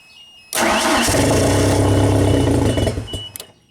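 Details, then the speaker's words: 1992 Genie boom lift, switched to platform control; starter catches and the engine runs about two seconds, then dies abruptly as the CR4 fuel-cut solenoid relay shuts off fuel; stalls after start. "so we just have to focus on this fuel cut solenoid cr4 okay uh when L started it it was actually like first it went down and then up immediately and it disa"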